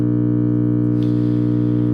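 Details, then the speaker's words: 1951 General Electric model 404 valve (tube) radio, first power-up after sitting on a shelf, with all tubes lit and no program audio. A loud, steady low buzzing hum builds until the whole case vibrates. "there's a little bit more than a little bit of hum there okay there's a ton of hum there the whole case is vibrating"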